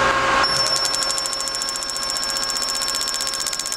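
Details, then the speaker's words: DIY single-quadrant IGBT PWM motor controller switching at 5 kHz, driving a go-kart motor: a steady high whistle over fast, even ticking comes from both the controller and the motor; this is PWM switching whine. "an awful line coming from both the controller and from the motor that's because I'm switching at 5 kilohertz which is a very good frequency for humans to hear"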